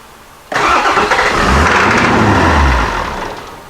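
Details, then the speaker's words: Ford F250 7.3 Powerstroke diesel after injector cup, injector, glow plug and water pump replacement: long heavy cranking that swells and roughens without catching, since the drained high-pressure oil system must refill reservoir and galleys to build pressure. "since the since the oil pressure system or the high pressure oiling system is basically empty it's going to take quite a while to crank it long enough to build up pressure because it's got to fill up the reservoir"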